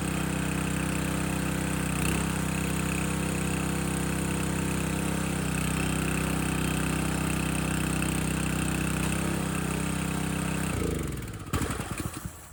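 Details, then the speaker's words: Landworks 20-ton log splitter engine splitting a dry 24–25 inch log; small engine drones with an even beat, pulling through the split without stumbling, then winds down; split easily, healthy normal running under load. "All right, that first log, split it nice and easy, no issues. The wood itself is pretty dry."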